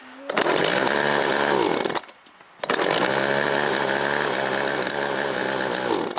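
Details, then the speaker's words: Chainsaw, carb possibly needing cleaning, primed to start: fires and runs at steady high revs, dips briefly, recovers and holds evenly; runs fine. "And well, looks like she's running now."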